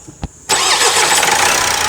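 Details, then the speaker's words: Opel Astra J 1.6 CDTI diesel after timing chain replacement (it arrived on a tow truck, pump said to be broken) starts after a brief crank and settles into a steady, even idle with normal clatter; running normal now. "Hallettik Arkadaşlar şimdi sesimiz normal"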